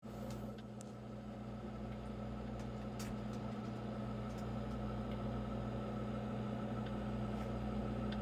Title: Brio 740i making the same clicking sound as the last two that broke down.Don't but this ice maker